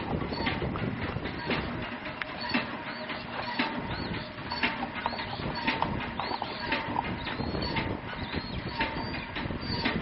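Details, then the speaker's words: Empty RK Drums 4 lb drum turning on the motorized rotisserie during gas grill preheat; about one dull knock a second under the gas and motor hiss as the drum flops loose on its rod. Harmless; center-punching the flange tightens it. "So my drum is flopping around just a little bit on the rod, so you can hear it kind of every rotation or so. You can hear it kind of hitting the rod, but that's fine. It's not going to hurt anything."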